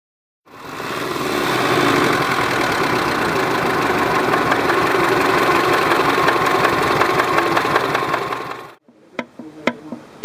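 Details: Naturally aspirated Subaru EJ20 boxer idling: a loud, regular knock and rattle, about four a second. The engine also burns oil with heavy smoke, and the oil light stays lit under 1500 rpm when warm. The bores are scored with significant big-end play; the true cause is still unknown.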